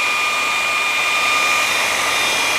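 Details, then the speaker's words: Vevor belt grinder modified from 2x82 to 2x72 inch belt, running unloaded: steady, even whir with faint constant high tone, no flapping or slapping; runs much smoother than with the old longer belt. "just running a lot more smooth way way smoother"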